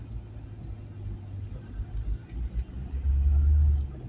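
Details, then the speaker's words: Volkswagen Golf with broken exhaust flexi pipe: deep uneven rumble that swells and chugs like a tractor; exhaust leak from the flexi. "plus my flexi goes off the exhaust so maybe hear that it sounds a bit like a tractor or not"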